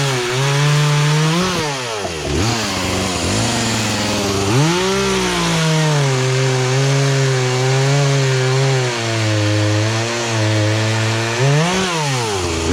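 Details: Poulan Pro two-stroke chainsaw, sat unused about three years, after carburetor adjustment, cutting small logs; clean steady high rev through each cut, bogging only briefly as it bites, then snapping back; running right.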